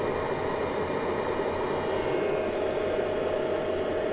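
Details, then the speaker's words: Easun iCharger 8048 MPPT solar charge controller holding about 1.3–1.48 kW, 59 V input, about 48–50 A battery charge: loud steady fan rush over a constant hum, almost inverter-loud but keeping the unit at 37–38 °C. Normal cooling fan noise. "It has one big disadvantage, namely that it is terribly loud. It almost rivals the sound of an inverter, but in return it cools itself very well."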